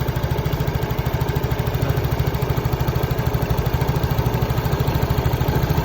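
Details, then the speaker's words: Yamaha Mio J scooter idling with small single-cylinder putters drifting up and down; unstable idle despite earlier ISC repair, caused by an expanded lower intake hose leaking air; squeezing the hose steadies idle, replacement recommended. "Nah, masalahnya ini terasa udaranya itu tidak stabil karena selang ini sudah mengalami pemuaian."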